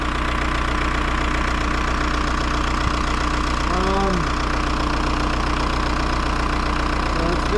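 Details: VW Jetta TDI diesel, bought non-running with no compression and now restarted, idling: lumpy idle with uneven stumbles about 150 a minute; a fuel line issue lets air bubbles in, rough idle from air in fuel.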